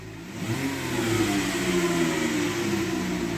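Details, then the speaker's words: 2016 Dodge Grand Caravan: whirring whine rising with engine revs, like an old Ford power steering pump or supercharger, from the front of the transmission; gear engagement delayed and mushy; transmission pan to be inspected, cause unconfirmed. "it sounds like an old Ford power steering pump but it's coming from the front of the transmission see if we can hear it hear that thing sounds like it's got a supercharger on"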